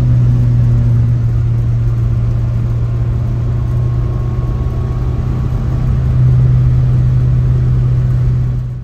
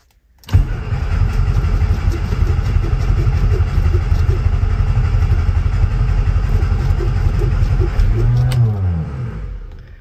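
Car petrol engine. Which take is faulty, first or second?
second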